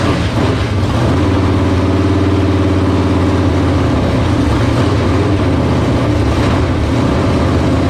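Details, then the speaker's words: First start of a 1978 Dodge Warlock truck's 360 small-block stroker, idle turned up: steady, even lope with a deep, solid rumble, no knocks or misses. Runs healthy, 75 psi oil pressure at idle from a high-volume oil pump. "oh that was pretty impressive that thing sounded great wow we were getting 75 pounds of oil pressure at idle"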